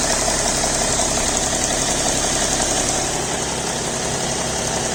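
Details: BMW E60 525d diesel idling cold after start, fresh 5W-30 oil: fast, light, steady ticking over the diesel clatter that disappears once the engine reaches about 80°C; cause unknown.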